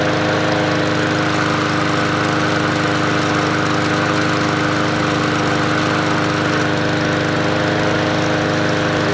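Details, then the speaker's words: MTD Yard Machines 20-inch push mower with Powermore engine, bought as non-running, after fresh oil: steady even engine drone at constant speed, no knock; runs healthy. "not bad all right well it doesn't sound bad it's not doing a knock"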